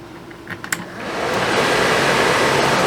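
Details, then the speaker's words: Suburban RV propane furnace, removed from the RV and reassembled after a suspected bad fan motor, test-fired on the bench: a few ignition clicks then a smooth, steady blower rush with no rubbing or scraping, normal running. "Sounds a lot better. See fires up. There we go."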